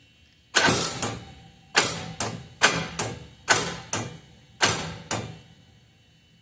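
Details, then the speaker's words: Miller Trailblazer welder engine, left outdoors for seven years: starter strains in short heavy bursts and stops each time, no crank rhythm; engine seized solid. "boy it's it's stuck well we're at a bit of an impass"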